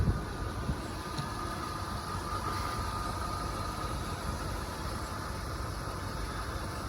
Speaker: Listen to it. How quiet is that? The car is actually running.